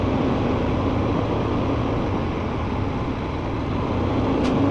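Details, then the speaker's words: Tractor-trailer diesel idling during a CDL pre-trip air leak test as air pressure builds from 120 to 140 psi; brief sharp air hiss near the end; the air brake governor cuts out normally. "There, now my governor is cut out."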